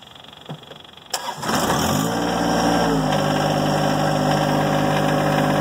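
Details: John Deere 1025R compact tractor diesel after glow plug cycle: brief cranking catches within a second, then smooth even idle with steady low rumble; healthy start.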